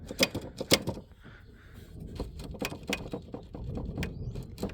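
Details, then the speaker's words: 1999 Dodge Grand Caravan SE, about 260k miles, salvage yard, engine off, new throttle body sensors; scattered light clicks and ticks as throttle is worked by hand, traced to the cruise control module; normal cruise servo clicking, nothing wrong. "So they put new sensors on. I'm thinking, oh, it's the cruise. I bet you when I take this off, it doesn't make noise anymore."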